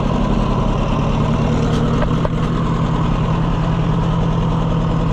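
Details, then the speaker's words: Oliver 550 tractor on a no-run service call, running on a borrowed coil after flooding with the fuel shut off and the choke fully out: a lumpy, uneven idle dropping beats, a cylinder misfire of unconfirmed cause. "I don't like the way that's running. It's got a miss in it. Yeah, it's got a problem."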